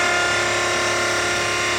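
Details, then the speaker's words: V8-swapped Mazda RX7, engine off: loud, steady high-pitched electric whine without surging as the fuel pump primes the fuel system. Normal, just loud; no leaks after the loose fuel pressure gauge was tightened. "as you can see we got the fuel pump all primed up and check the whole field system no leaks really happy with it"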